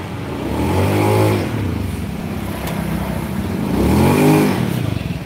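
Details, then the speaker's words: Honda Beat scooter after repair of clatter and squeal under throttle: revs up and settles twice, smooth and even, power good, no squeal or clatter; healthy running. "Sudah ya guys, ini udah beres, suaranya udah halus, tenaganya udah oke, nggak jerit-jerit dan nggak kelotak-kelotak lagi."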